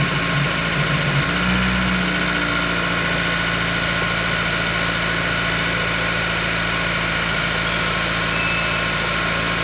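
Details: 2016-2021 Honda Civic Si (L15B7 turbo) after fuel injector replacement with revised kit, no fuel leaks: cranks and settles quickly into a steady, even idle with smooth low hum, no misfire stumble or ticking; healthy.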